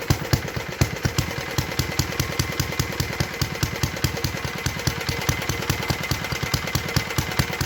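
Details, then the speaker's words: 1952 Clinton VS-700 single-cylinder push mower engine, revived after cleaning points, carburetor and a clogged fuel line, wheels and handle fitted; crisp even popping about 2.5 beats per second with steady exhaust note, idling cleanly after tuning down. "anyway as you can tell she was pretty good at idle [Music] get hair going no this hurts pretty good at idle that's pretty good too"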